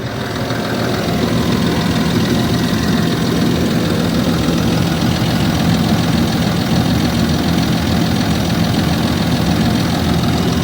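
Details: Land Rover Discovery 3 2.7 TDV6 diesel at cold idle: rough, loud idle with a dense knocking clatter; the source of the knock is unclear.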